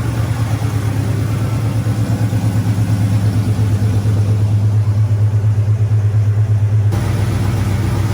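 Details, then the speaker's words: Camaro rebuilt 6.0 V8, first run after rebuild: steady lopey idle about two pulses a second, 60 psi oil pressure, smoke burning off, no misses or knocks; healthy. "So far, she seems happy as hell. Most of the smoke is kind of burning off."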